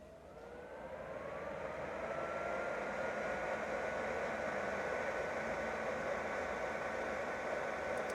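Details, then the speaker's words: Portable mini-ITX PC with the case lid on, fan calibrated in BIOS, running at full performance: airflow whoosh swells over two seconds, then holds a steady faint hum; normal full-speed fan noise, louder with the lid on. "So if for some reason it was to get pretty hot, that's what it would sound like, but we'll see how that fares."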